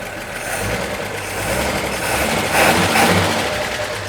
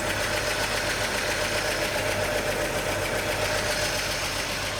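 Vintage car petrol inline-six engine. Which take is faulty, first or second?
second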